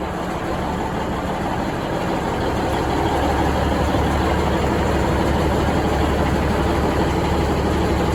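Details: Budd RDC 9114 railcar, engine No.1, first start after replacing the coolant-contaminated transmission oil cooler and flushing the transmission: a deep, steady diesel rumble with an even idle and no knocks or misses. Running smoothly.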